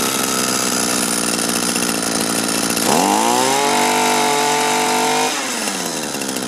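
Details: Used Echo gas two-stroke string trimmer after repair with a 3D-printed part and a good carburetor salvaged from three: the buzz climbs cleanly to a steady high rev, holds, then drops back without stumbling. Runs properly.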